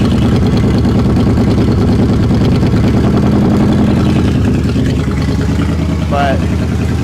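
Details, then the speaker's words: 1960 Chevrolet Impala, not run in over 10 years, after a fuel fix: loud, low idle with an uneven, stumbling beat and occasional sputters; surging gone, no longer dripping fuel, smoking a little, cause of the sputter not yet found. "well she's sputtering a little bit but things are a lot better than they were yesterday I'll tell you that no more surging"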